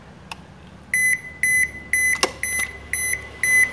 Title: Máy giặt Toshiba báo lỗi E2-3